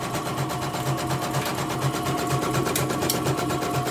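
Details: Embroidery machine sent in for repeated jamming (macet) and skipping bobbin-case hook, dynamo found dragging; test run after service: even, steady stitching about two beats a second over smooth motor hum, no catches or knocks; running fine.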